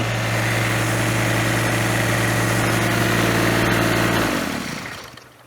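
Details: Ventrac 4500Y, 25 HP Kubota diesel, after freeing dirt-blocked parking brake switch: steady even diesel idle, smooth low thrum, no knocks or misses, until shut off and winding down; normal idle.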